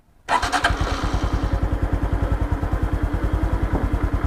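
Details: 2021 Honda Wave, 12,000 km, with a loud noise blamed on a slack timing chain, after fitting the chain tensioner and torquing the cam cover. Catches at once and settles into an even thumping idle at about 200 beats a minute with no ticking or rattle.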